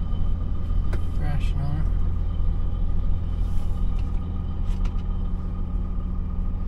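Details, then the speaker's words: Dodge Ram 3500 with a rebuilt Mercedes G56 manual transmission (mouse damage) and new clutch, on the road: low steady driveline rumble with no whine, growl or knock; the noise it had since almost new is no longer heard. "I think it's good seems good things always had a noise in it since it was almost new and I think it's I don't hear it now"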